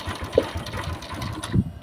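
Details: Honda Wave 115i fuel-injected motorcycle, kick-started at idle: fast steady tapping near the cam chain; the cam chain is slack and whips, and the chain tensioner rubber roller is cracked, letting metal hit metal.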